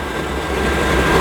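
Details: Generic pressure washer boiler: steady, even burner fan roar with no combustion rumble or flame pulsing. Fan motor and spark transformer run on a 30-second rolling timer; with the thermostat turned down no fuel is introduced, so the fan spins with no fuel firing.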